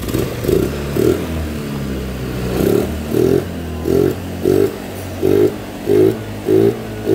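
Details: Carbureted Honda Vario 110 scooter after an engine rebuild following late oil changes: revved in even bursts about once a second, rising and falling cleanly with no knock or rattle; it idles, starts on one kick and no longer smokes from the breather hose.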